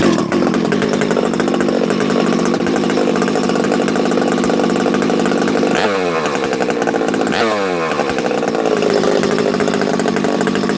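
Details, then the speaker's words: Husqvarna 371XP chainsaw first start after rebuild, choked and primed: fast running with blubbery, uneven rich low-speed note because the bottom end is full of assembly oil. "you hear how you hear how rich it is on the bottom this thing's got oil"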